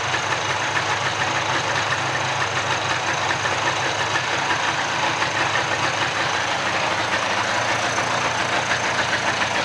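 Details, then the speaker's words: Mid-90s (1995) Polaris ATV two-stroke rebuilt from a pile of parts, first run, warming up and smoky from oil in the crankcase: steady, buzzy idle with an even unbroken beat, no misses or knocks; normal idle. "It sounds good. So, let it sit here and warm up for a minute. It's really smoky because of all the oil that was in the crank case."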